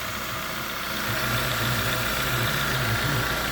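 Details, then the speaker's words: 2011 Jeep Compass AWD 2.4 L, started right after an alternator replacement and belt refit: a steady, even idle with a low hum and no knocks, misses or squeals; the alternator puts out 14.6 volts and it runs normally. "We'll start it up and check, make sure everything's running okay. Well, it seems to be okay. Yeah, everything looks pretty good."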